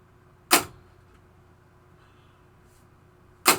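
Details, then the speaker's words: 1973 Williams Travel Time pinball: clock pulse unit (capacitor previously replaced) set too slow, two sharp ticks about three seconds apart; blue potentiometer is turned up to speed the clock. "So this blue thing is a potentiometer. You can turn it up or turn it down. So let's watch the clock right here. Now you'll hear the ticking as the clock's going."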